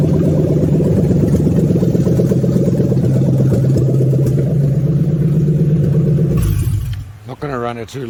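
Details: Toyota 3UZ V8 prepared for a manual-swap into an IS300, ECU flashed for manual, test start without radiator after harness build: deep, even V8 burble holds steady about six seconds, no misses or knocks, shuts down cleanly; normal idle.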